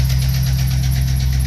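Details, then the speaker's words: Chevrolet 5.3 L V8 truck idling before repair: quick, light ticking at about five a second over a steady idle with a tone over it; a bad lifter, collapsed or worn, to be replaced. "okay the motor agent sounds good but you'll notice there's a ticking sound here okay"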